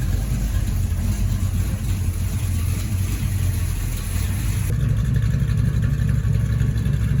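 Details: 1972 Chevrolet Camaro with a 383 stroker V8 and a hydraulic flat-tappet cam, sat since 2011, on its first drive in nine years; water temperature, oil pressure and charging are good, transmission cold. Deep, steady rumble, no misses. Normal running.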